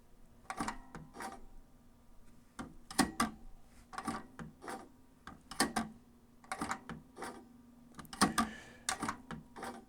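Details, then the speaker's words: Teac V-770 three-head cassette deck before service, still ejecting properly; irregular bursts of small clicks and rattles over a faint hum; the mode belt does not seem to slip, so the owner wonders if the noise is the capstan motor. "The mode belt does not seem to be slipping in this, so I don't know if that noise is from the Capstan motor or what."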